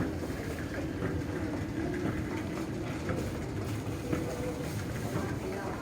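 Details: Old, slow escalator in Penzance riding smoothly: dull irregular knock about once a second over a steady mechanical rumble, cause unknown; escalator knocking.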